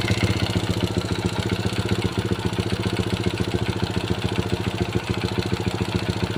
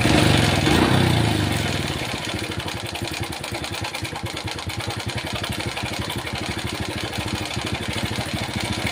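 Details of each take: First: Honda Supra Pit New four-stroke motorcycle from the 2000s after timing chain replacement and fresh oil, cover closed: quick even single-cylinder idle putter about 3.5 beats per second, chain noise gone; piston and crankshaft bearings still suspected. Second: Honda Supra Pit New 4-stroke motorcycle, made in the 2000s, that the owner reports sounds very rough, checked at idle before teardown. A fast, even ticking rattle of about 200 per minute rides over the idle. Worn timing chain.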